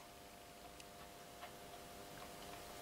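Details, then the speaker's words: Moped intake pipe checked on a flat surface plate before resurfacing: faint, light metallic ticks ("gling-gling") as the part rocks, showing a slightly damaged, non-flat gasket face that will cause an air leak and must be resurfaced. "Si votre plan de joint est légèrement abîmé, vous allez voir, ça va bouger un tout petit peu et ça va nous faire un gling-gling."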